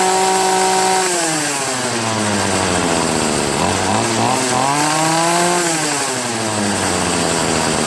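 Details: Troy-Bilt TB70SS 33cc two-stroke string trimmer after high/low carburettor mixture screw adjustment: revs up and falls back cleanly, tone rising and dropping smoothly with no bogging or sputter; the mixture is now set right.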